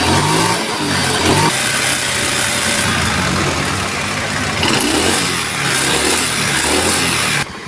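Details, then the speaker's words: Honda Beat ESP scooter after an engine teardown and rebuild: even, smooth running that revs cleanly with no knocks. The earlier harsh noise and light smoke were caused by the piston, which had cracked along with the block; engine now normal. "Oke Mantap banget ya untuk mesin masalah suara sekasar sebelum dibongkar itu ternyata masalahnya cuma ada di piston guys ya"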